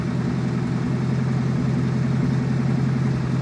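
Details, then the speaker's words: Chevette fitted with Keihin CV motorcycle carbs, after reseating intake runners to fix vacuum leaks; dead cold start, low even idle with slight rhythmic waver, AFRs acceptable, close to target: slightly unsteady cold idle. "Dead cold start. No way. That's running way better. Oh, there we go. Starting to read. She's a little wobbly,"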